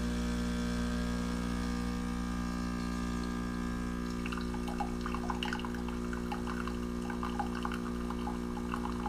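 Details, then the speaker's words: Keurig Rivo R500 pulling a short espresso for a latte: steady buzzing vibratory pump hum at constant pitch, then liquid spattering into the cup; pump running normally. "And this one also says to pull a short espresso, so we're going to do that. All right, so we'll go ahead and do the short espresso."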